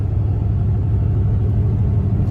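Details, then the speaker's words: 6.5 diesel truck after fixing fuel starvation (plugged sock in tank), driven about 15 minutes: steady deep rumble, even firing, accelerates well and blows black smoke; running normally. "it's accelerating nice when I get on it it blows black smoke so that's good"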